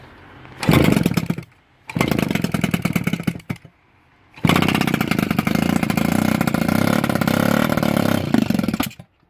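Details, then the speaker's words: Yamaha KV75 MT1 two-stroke on its first start with a newly fitted, modified CDI, using starting fluid. Two short catching bursts, then a raspy, slightly uneven run before it cuts. The ignition timing is still off and not yet set. "The timing is off, okay? It's going to be set, but it's off at the moment, okay?"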